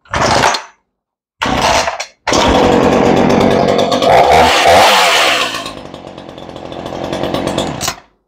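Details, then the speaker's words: Ryobi 3818 chainsaw after carburetor rebuild, long unused: revs then settles to a steady, even idle just slightly low, no stumbling or stalling; sounds healthy. "it idles just a tiny bit low but I'd rather it idle a tiny bit low than a tiny bit High"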